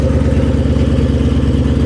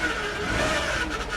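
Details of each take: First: Salvage Mustang (Shelby GT500) V8 on jump start, no coolant so run briefly: deep steady V8 burble with slight rev rise, no clatter or misfire, healthy strong-running engine. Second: Salvage-auction vehicle with about 250,000 miles, first start with a likely dead battery: a steady high whine sits over the idling engine without letting up. The power steering pump is whining, noisy and complaining.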